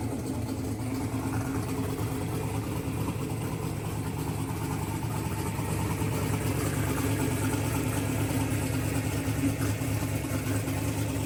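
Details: Mississippi Queen V8 first start after the AWD build, fresh fluids, oil and plugs, and a splice on a pulled CDI 600 wire, timing not yet verified, minor fuel leaks: steady low idle with even pulses and some hiss around it; good oil pressure.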